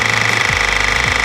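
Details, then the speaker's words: Handpresso 12-volt espresso machine, cold water and coffee pod loaded, just switched on: fast even buzzing pulse with a steady high whine as the compressor pumps while the water heater works; normal operation. "The compressor is working and so is the water heater. The machine isn't ready just when the compressor stops."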